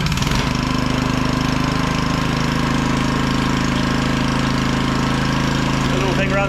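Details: Small auction generator after cleaning the spark plug, fresh oil and fuel, air filter, started on choke: steady even drone at fixed speed with no hunting, misfires or rattles; idling as it should.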